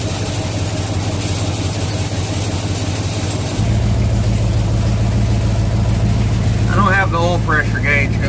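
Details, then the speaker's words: 1967 Chevelle V8 first start since 1977 on original wiring (minus front clip) after ignition switch contacts cleaned; cranks, catches and settles into steady, even low-rumble idle, no misses or knocks, healthy; alternator not yet charging. "so this will be the first start since 1977 with its original wiring minus the front clip"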